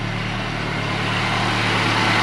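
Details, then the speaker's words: Volvo 240, off the road 19 years, ticking over on a cold day with coolant topped up and no leaks: an even, steady idle with a low hum and no knocks, misses or ticking. Compression is consistent, but it keeps running hot. "engine sounds pretty healthy we've done a compression check as well and it's pretty decent across the board pretty consistent"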